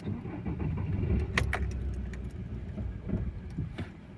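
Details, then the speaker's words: Audi A6 2.0 TDI towed in, long-sat, fuel pump primed several times: diesel catches with a lumpy rough rumble and stalls within seconds; black fuel in filter; engine starts then stalls. "О, і глохне. Роби скілька секунд і глохне."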